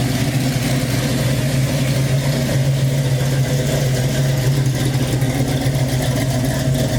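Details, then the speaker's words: Chevy Nova fuel-injected engine after lifter repair, first start since the night before: steady, even low rumble with no lifter tick through the revs; runs smoothly apart from minor exhaust leaks. "I'm going to start the car for you though so you get to hear it there's a few exhaust leaks so pay no attention to that"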